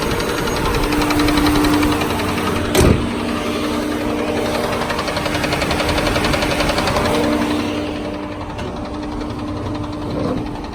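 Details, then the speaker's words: Ford Freestar 4.2 L V6 with towing package, about 220k miles, idling smooth with no warning lights but a light, quick tapping; knocking began right after a new transmission was installed; doubted to be rod knock, cause unidentified. "it's idling dummy dead on it's smooth but as you can clearly hear its tapping"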